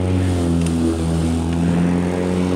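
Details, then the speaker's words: Black and Decker 36 V cordless mower on original lead-acid batteries, measured 33.1 V after mowing: low, sluggish, quieter motor hum under cutting load, moving slower; the motor is bogging because the pack is nearly depleted. "it is just not wanting the cut it's gotten a lot quieter and it's not moving near as fast"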